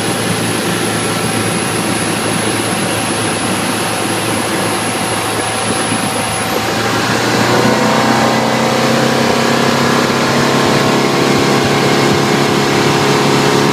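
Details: 2012 Bayliner 175BR boat engine running with the hatch closed, thin constant high-pitched squeal over the drone for a few seconds, then it stops; cause not evident.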